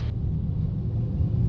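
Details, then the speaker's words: Toyota Vios road test over potholes after troubleshooting a customer's complaint of a rattle at the right wheel. Only a smooth, even, low road rumble with no clunks or rattles; the noise is gone. "Maganda kasi mga boss, bago kami maghiwalay ni customer, wala na siyang problema. Wala na nga."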